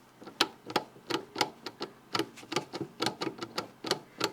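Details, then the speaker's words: Porsche 924 with clonk when accelerating, driveshaft inner CV joint clamped and worked by hand, microphone held very close: sharp dry clicks about three a second, joint slipping into a groove; worn inner CV joint, outer joint fine. "you can hear that click. And it's also moving just a little bit into what feels like a groove. It's not supposed to do that. The outer joint is not doing it, but only the inner joint."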